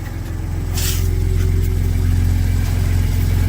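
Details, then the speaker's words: Ford F-150 3.5 V6 twin-turbo EcoBoost, tuned, just fitted SPD high-flow turbo exhaust adapters and 3-inch downpipes: smooth, even low rumble, steady firing beat, no ticking or puffing from exhaust joints; no leaks, healthy warm idle. "Yeah, I don't hear any leaks. It sounds pretty good."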